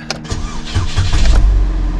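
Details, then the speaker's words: 2006 Chevy HHR, 125,000 miles, after a dead battery: short crank, then it catches straight away and settles into a smooth, even idle; normal, healthy start. "starts right up here like a kitten"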